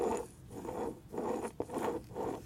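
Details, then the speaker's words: Old wheel hub bearing assembly, removed from the car and spun by hand; broken seal and leaking grease; rough gritty scraping in bursts, only audible at higher spin speed; worn wheel bearing roughness. "if you do it slowly you don't hear it when you're gonna high speeds you hear it then that's the noisy part"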